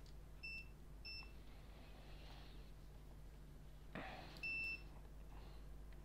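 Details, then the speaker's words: MacBook Air A1932 that won't power on, logic board with no visible oxidation, checked with a multimeter in continuity mode: short clear beeps each time the probes touch where there should be no continuity, indicating a short circuit on the board. "Ah, alors je sais pas si vous entendez, mais bon là ça bip. C'est pas normal. Là ça bip, c'est pas normal."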